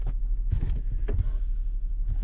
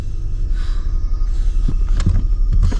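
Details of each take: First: 2011 Lincoln MKX running after replacing a leaking brake booster that caused a soft pedal: low engine rumble with a few soft bumps, no hiss or whistle from the booster; brakes feel good. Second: 2011 Lincoln MKX idling, cabin listening: hissing whistle swells as the soft brake pedal is pressed and sinks to the floor; brake booster vacuum leak, booster replaced.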